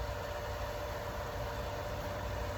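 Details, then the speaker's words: Pump filling a drained holding tank after being primed with water first, house line off: steady even motor hum with low drone and faint constant tone, holding prime, running consistently and normally. "Working pretty consistently. It's not acting like it's needing priming done to it. That's a good thing."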